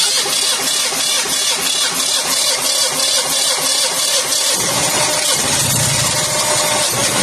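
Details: Pre-Nexus after no-start repair with new batteries, terminals and starter, choke plate checked: cranks, catches after about four seconds, then an even steady run with no misses; starts and runs normally.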